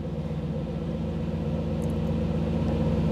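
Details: 1985 Camaro IROC-Z TPI engine, cold start now in closed loop with a new oxygen sensor and the scan tool connected: even, steady low rumble at about 950 rpm with no misses, knocks or hunting; normal healthy idle.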